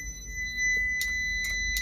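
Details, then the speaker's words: Isuzu Elf NMR71 truck: wiper relay clicks three times over a faint electrical whine as the stalk is turned, but the wiper motor stays dead; earlier wiring short already repaired, so the wiper motor itself is suspected. "relaynya terdengar bunyi cetik-cetik ketika diputar tuasnya maka saya langsung curiga bukan pada kabel bagian sana kemarin yang klet tapi pada bagian dinamonya"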